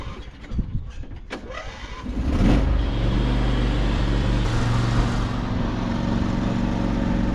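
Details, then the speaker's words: Old Modra generator with replacement carburettor, started cold at about 10°: several weak, uneven pulls and coughs before catching, then rough, hunting run; hard cold start, owner suspects carb jetting not suited to cold, happens every year. "I wouldn't even look at the carb today cuz this happens every year. I think it has to do with the jetting of it."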